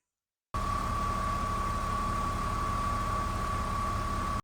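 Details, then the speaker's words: 2003 BMW E46 with M54 engine, at idle: steady high electronic buzzing whine, about 1 kHz, from the front of the engine, traced to the remanufactured alternator after belt, tensioners, pulley and intake work; replaced with a new Bosch 120 A unit. "this noise wasn't mechanical it wasn't grinding it wasn't whistling the sort of an electronic buzzing noise"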